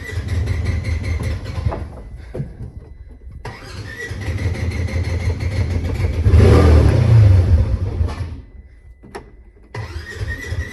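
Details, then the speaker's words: Polaris Ranger 900XP side-by-side after repair and a ride, now failing to restart. Long rhythmic cranking with pauses and a brief rough catch that dies. Leaking intake seals or a vacuum leak are suspected, air having been heard escaping; not confirmed. "so at I think that heart starting might be something to do with the seals on this intake right here cuz I can kind of hear like some air like right here somewhere"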